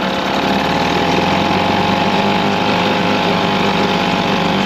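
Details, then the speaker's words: 1989 Mercury 4.5hp two-stroke outboard (blue stripe) started with a drill: loud buzzy drone at fairly constant speed; runs poorly, owner suspects very bad gas and a faulty choke, unconfirmed. "I just think he ran some really really shitty gas and the the choke was messed up."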